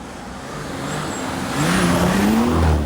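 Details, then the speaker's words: Mercedes W124 with an OM606 (6 mm pump build, HX30 turbo) and a new clutch, on a 0-60 road test with cold gearbox oil. The diesel pulls hard under boost, then goes ragged and hesitant near the top. Excess exhaust back-pressure pumps up the hydraulic lifters, so the exhaust valves float; this is less likely with hot oil. "what you just experienced there is something called B float um the exhaust gas pressure gets too high and it basically causes the um the exhaust valves not to be able to close properly cuz the hydraulic lifters get jacked up"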